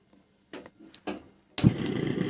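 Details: Gas stove burner: a few light clicks, then a sudden steady fluttering roar from the flame because the burner cap has slid to one side; reseating the cap properly stops the noise.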